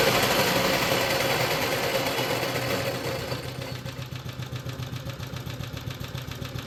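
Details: BSA/Villiers 119cc Sloper single-cylinder with centrifugal clutch, after carburettor/engine service: it settles from a fast run into an even, light pop-pop idle with a soft breathy breather note and heavy-flywheel feel; normal, healthy idle.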